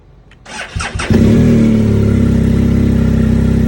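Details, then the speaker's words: 2020 BMW GSA, stock battery checked, firmware updated, no dealer codes, cold start at about 24–30°F: a few short stuttering tries before it catches and settles to a steady even idle; hard starting, owner suspects a bad switch. "It's not even turning. See that? Check that out. I bet you it's a bad switch."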